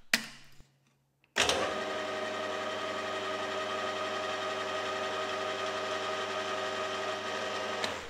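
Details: HAFCO AL320G lathe gearbox at high speed after refilling with thicker, extra oil and fitting a new gasket: after a brief start-up it settles into a smooth, steady hum with no grinding or knocking; it is much quieter.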